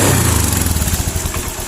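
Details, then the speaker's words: Honda Beat scooter after manual reset idles unevenly, rising and falling, sometimes stalling, fine when revved hard; hunting idle, air filter checked and not too dirty. "Jadi putaran idle tidak stabil. Terkadang naik, terkadang turun, terkadang naik lagi, dan bahkan sampai mati."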